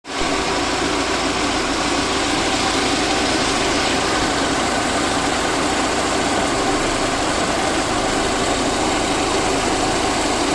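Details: VAZ 2109 engine after a full overhaul: even, steady idle with a smooth hiss and no knocks, misses or hunting; normal idle.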